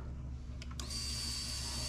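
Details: GM late-model HEI distributor setup (87-95 GM trucks/marine), key turned on during no-spark diagnosis: a couple of clicks then a steady high-pitched electric whine holding evenly; fuel pump priming normally.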